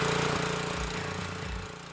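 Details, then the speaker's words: Honda GX200 clone small single-cylinder engine that wouldn't start and hunted at idle, after carburetor cleaning: steady idle without hunting or misses; the cleaning fixed the idle search problem, normal idle. "All right, so that's running pretty good. The carburetor cleaning has fixed the idle search problem, and the engine is running pretty good."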